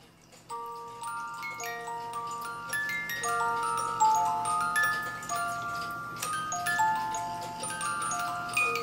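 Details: 1985 Regula A-25-85 Black Forest cuckoo clock music movement, played out of the case after the worn comb was moved closer to the cylinder: clean, even plucked tune with clear steady notes, no dragging or buzzing; plays properly after adjustment.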